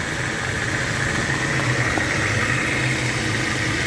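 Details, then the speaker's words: 2011 Dodge Avenger with a weird front-end noise, first thought to be a motor mount: steady petrol idle with a low, uneven throb and a thin high hum on top. "i got a 2011 dodge adventure today it came in with a weird noise check the end thought it was a motor mount at first"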